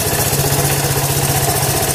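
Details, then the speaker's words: Honda ATC 125m three-wheeler, sat roughly 5–10 years, seized engine freed with fluid down the cylinder, carb and fuel system cleaned; even single-cylinder idle with no misses, starts well, no longer smoking; normal idle. "Running pretty good. It starts pretty good. It doesn't smoke anymore."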